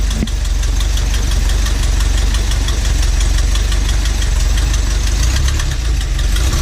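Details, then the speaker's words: Volvo Penta AQ151c marine engine, first run in over 10 years, tank likely empty: loud, deep, even idle with steady unchanging beat, no misses; smooth, healthy normal idle. "Oh doing this sounds so good sounds beefy yeah sick"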